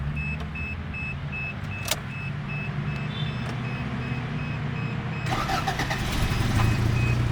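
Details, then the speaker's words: 1984 Toyota Camry DLX, four-speed automatic with overdrive, 99,000 miles: a short crank, then it catches and settles into a steady, even idle with no misses or knocks. A healthy start. "And it still starts right up to this day. Toyota reliability for you."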